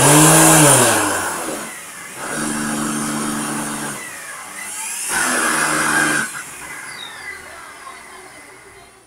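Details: Vacuum cleaner motor: deep engine-like roar with throbbing tone rising and falling every couple of seconds; rotational vibration, owner suspects a dust-clogged or high-friction ball bearing in the rotating ring, unconfirmed.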